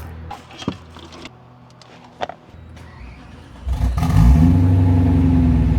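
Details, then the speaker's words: BMW E92 that had sat a while: some handling clatter, then the V8 catches and settles into a strong even run with no knock or tapping. Normal running. "No, it's still running, and it's not knocking. I take that as a win."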